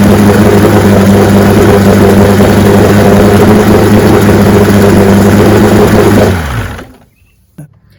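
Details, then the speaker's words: 1965 75 hp Evinrude Electromatic outboard (owner thought 1963) with electromatic shift, serviced with new water pump impeller and lower unit: steady drone with firm low hum for six seconds, then winds down smoothly and stops; runs like a charm. "Not a hydroelectric, it's electromatic shift. Look at that, runs like a charm."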